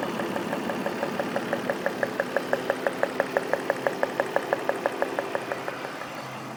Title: M52 engine noise